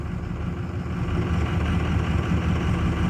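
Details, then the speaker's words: 2006 Ford F250 Super Duty 6.0 Power Stroke diesel, wants to stall, bogs down on a little throttle; lugging wavering rumble; owner wonders if injectors or high pressure oil pump are bad, unconfirmed. "oh he just wants to stall i'll give it a little guess here no it's bogging down"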